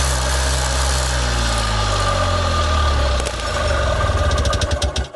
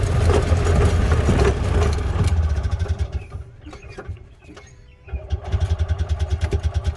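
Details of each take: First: Columbia Parcar (Freightliner-badged) gas golf cart, revived and being run out of its old fuel: small single chugs at an even idle for three seconds, then stumbles and sputters out as it runs dry; idle itself healthy. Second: Columbia Parcar golf cart on a ride after refilling the fuel line with the tank drained. It pulls hard, then sags and falters almost silent before briefly catching again: engine stalling from fuel starvation, out of gas.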